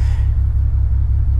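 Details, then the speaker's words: BMW E92 335i N54 with 17T hybrid turbos, no fault codes, microphone near the exhausts: deep exhaust idle with an uneven lumpy pulse like a cylinder dropping out; the owner suspects a misfire or low compression in one cylinder, and it revs smoothly off idle. "and yeah so basically it's got a it's got a rough idle or a it's a misfire in my opinion"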